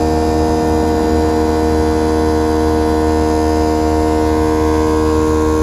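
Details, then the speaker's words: Airlift WirelessAir compressor on a 2017 Ford F450 with Loadlifter 5000 Ultimate Plus airbags, mounted on the inner cross member, filling the bags from 5 PSI toward a 45 PSI shutoff. A steady electric hum with a constant buzz and no knocks: normal operation. "You can hear the compressor working. Again, the compressor is attached to the inner portion of this cross member right here. Once it reaches 45 PSI, you'll hear the system shut off."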